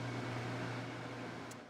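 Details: Portable air conditioner running in a shop; low, steady hum with constant fan rush, no rattles or cycling, running normally.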